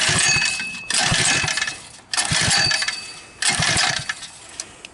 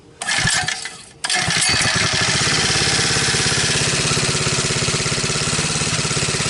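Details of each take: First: Backyard ATV fitted with a 79cc four-stroke engine, after a shot of starting fluid: three short cranking bursts of about a second each, engine spins but never fires; spark not yet checked; cranks but won't start. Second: 79cc four-stroke swapped into extended 50cc ATV frame, fed from bottle with choke on: pull start catches at once, then steady fast even buzz with no missing beats; small engine runs cleanly.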